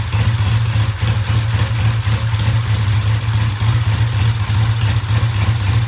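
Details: Original-paint 1966 Triumph twin idling with a steady, solid low thump at about four pulses a second and no misses or knocks; the bike starts and runs well and the oil checks good.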